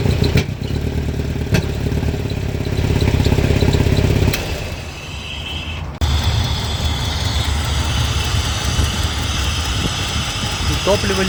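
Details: Mercedes W123, swapped 2.3 engine, K-Jetronic: when hot it won't rev, barely responds to throttle, backfires, lacks power; warm engine runs unevenly, sags and drops out midway, then picks up roughly. Cause suspected, not confirmed.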